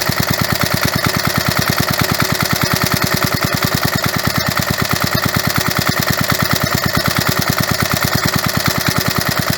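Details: Roughly 1985 Briggs & Stratton 3.5 hp mower engine, about 37 years old, restarted after long sitting with carburetor cleaner: crisp, even single-cylinder beat near three per second, no misses or knocks; runs steady and healthy.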